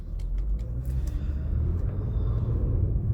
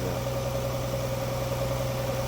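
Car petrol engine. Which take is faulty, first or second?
second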